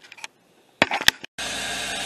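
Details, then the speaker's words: 2009 Ford Escape, engine running, recorded inside at the brake pedal: a couple of clicks, then a steady loud airy hiss that eases off and returns whenever the brake is pressed; the brake booster's seal is bad, fixed by replacing the booster. "all right so we're right here by the brake pedal and i'm sure it's picking it up uh get a loud air escaping noise coming out it kind of like chills out for a little bit hit the butt if you hit the brake you can hear it anytime you hit the brake it'll make the noise"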